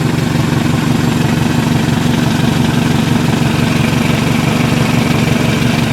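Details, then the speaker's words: 2000 Toyota Camry, 179,000 miles, warmed up at idle: fast steady puffing tick about three per second from a leaking exhaust, with only the faintest valve tick beneath. "just the tiniest bit of valve tick with 179 miles on it you know you just barely hear that the main thing you're hearing is just the uh leaky exhaust"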